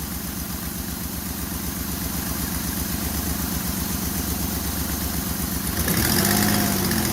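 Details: 2002 Ford Escape after spark plug hole thread repair: steady, even idle with a smooth regular pulse, no puffing or ticking at the plug, not blowing by; normal idle.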